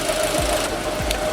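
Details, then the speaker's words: Fiat Panda 100HP T-Jet petrol, first start after months sitting, idling after suspension/subframe work and gearbox oil fill; spilled gearbox oil burning off exhaust manifold, oil pressure good; steady even idle, light constant hum, no knocks or misses: normal idle. "this is the gearbox oil just burning off of the exhaust manifold it's idling oil pressure looks good all that stuff is burning"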